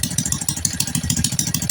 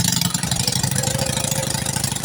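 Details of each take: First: Honda Kharisma/Supra X125 motorcycle that stalls after about 1 km: loud sharp popping puffs at each firing over an uneven idle, exhaust leak at the header joint. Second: Honda Karisma / Supra X 125 motorcycle that stalled after about 1 km of riding, now fitted with a used replacement CDI in place of the faulty original. It settles into a steady, even, quick idle with no misses.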